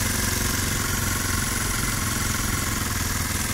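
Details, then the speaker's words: Kawasaki KLX 230 single-cylinder bike at fast idle: steady but coarse, rattly exhaust beat; engine sounds rough and noisy though vibration is smooth. "dan motor ini getarannya halus walaupun suara mesinnya kasar sekitarnya enggak ada saran getarannya halus"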